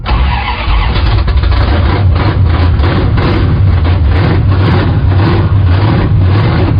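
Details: 1974 Plymouth Scamp V8 after a new valley pan and intake reinstall: loud V8 catches and settles into a strong, deep, even rumble with no misses or knocking; running properly.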